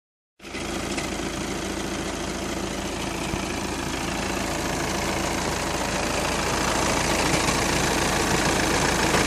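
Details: 2012 VW Passat idling: steady busy rattle running through the engine, about three or four beats a second, engine rattle at idle.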